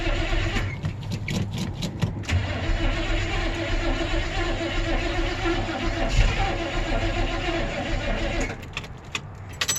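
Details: 1972 Chevy C10 truck, cold start: starter grinds in a steady rhythm for several seconds before the engine finally catches; slow, hard start with extended cranking.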